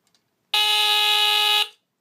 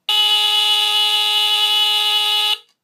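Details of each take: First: 1977 Sears Early One 350.57046 smoke detector (Fyrnetics F-900D rebrand with heat sensor), Kobishi CLB-27 brass squealer horn, test button: loud, steady, very low-pitched buzzing horn about a second long with a coarse, raspy tone; cause of rasp unknown. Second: 1977 Sears Early One 350.57046 smoke detector (Fyrnetics F-900D, Kobishi CLB-27 mechanical brass squealer horn) on test-button test: loud, continuous, very low-pitched raspy horn tone for about 2.5 seconds, then clean cutoff; normal.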